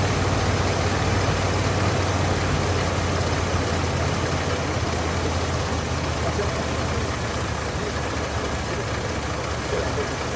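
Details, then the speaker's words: Carbureted engine during carburetor tuning with a dwell meter connected (reading about 15, expected around 30): steady low rumbling idle edging up as the idle screw is turned in; idle speed raised by adjustment. "but I do hear the engine going up and down idoling higher and lower see it's going higher like"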